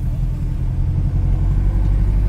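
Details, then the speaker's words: 1998 Ford F1000 4x4 driving, recorded at the wheel: constant deep droning roar with no knocks or grinding; it is the noise of its MT mud-terrain tires, not a mechanical fault. "esse ronco aí é o ronco dos Pneus sim os pneus os pneus MT que vocês viram aí"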